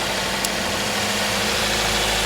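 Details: Toyota GLi engine after fixing a sound problem with tappet setting and a catalytic converter wash: steady, even idle with a smooth settled hum, no ticking or misses; sounds healthy.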